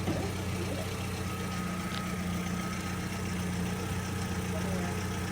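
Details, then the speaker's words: 1966 Chevrolet C10 carbureted engine, first start: loud, steady idle with a raw, unmuffled drone and faint puffing, consistent with the suspected exhaust leak; it was hoped to go to the exhaust shop for a full exhaust job. "I think you're right about our exhaust leak. Yeah, He's gonna be loud, son of a bitch."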